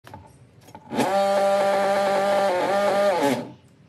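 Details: Xiaomi electric scooter hub motor grinding from faulty hall sensors, before hall sensor replacement: harsh, buzzing motor growl with a wavering pitch.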